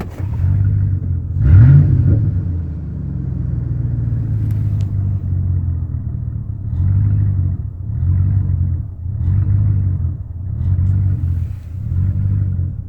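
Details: 1999 Chevrolet Silverado 1500 V8 rough, hunting idle that surges and sags about every 1.5 seconds, persisting after replacing intake manifold gaskets, plugs, wires and fuel pump; cause still unknown.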